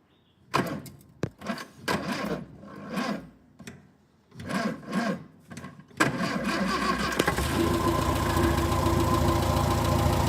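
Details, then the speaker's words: 1958 Morris Minor ute (LCV pick-up) engine, first start after sitting 20 years, oil pressure gauge fitted showing 50–60 psi. A few ragged catches, then it fires and settles into a steady, even idle with no knock or tick; surprisingly healthy. "So, I guess the summary for this engine is that it's in surprisingly good condition."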